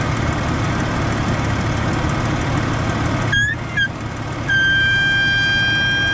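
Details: Jeep at idle, brake pedal pressed: rough idle rumble, then thin steady high whistle holds from power brake booster; owner suspects check valve, vacuum leaking at old grommet.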